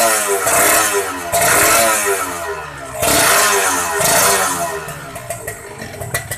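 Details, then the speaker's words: Kawasaki Ninja 150 R two-stroke after carburettor air-screw adjustment: crisp crackle picks up cleanly on each throttle blip and settles back without bogging; normal idle and throttle response. "Enak teman-teman, suaranya enak guys."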